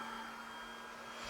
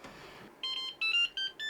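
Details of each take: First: Used Flashforge 5M Pro 3D printer at power-on, initialization off; steady airy whir with thin constant tone as hot end fan starts because tool head board falsely reads hot end at 230°, even when removed; faulty tool head board. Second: Used Flashforge 5M Pro 3D printer after swapping faulty tool head board (which falsely read 230°) for a new one; quick string of about eight short high beeps at power-on, no hot end fan, reads 19°; normal power-on.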